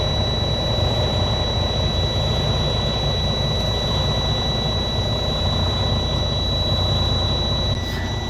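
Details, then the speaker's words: Freightliner Cascadia with low batteries in cold weather, started with a portable jump starter set to 12 volts: deep steady diesel rumble with faint high electrical tone, settling to a smooth idle. "can see in works it was fine"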